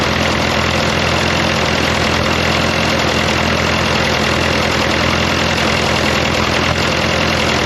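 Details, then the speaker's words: Fordson Power Major diesel crane, first run after sump reinstallation, fresh oil, charged battery, topped-up water, hard start: steady even idle with low regular beat, no knocking, occasional pop; only about 20 minutes total run time since acquired; running pretty good. "Back here I can actually hear it's running pretty good. It does pop a little bit every now and then, but it's been running for all of 20 minutes maybe all up since I've had it."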